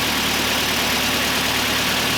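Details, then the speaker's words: Kia Sportage just after cylinder head rebuild and install, fresh oil and coolant, first start recorded on camera mic: fast busy ticking over steady idle; hydraulic lifters pumped down after being disassembled and cleaned, noisy until oil fills them. "So the valve train is going to be really noisy at first because all the lifters are pumped down. I took them all apart to clean them out."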